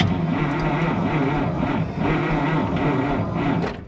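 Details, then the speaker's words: Abandoned Kenworth W900A with 855 Cummins diesel on four batteries wired to 24 volts: turns over slowly and laboriously, an even sluggish chug that never picks up speed; slow cranking. "It does, but not very fast. 4 batteries. Four batteries wired to 24 volts."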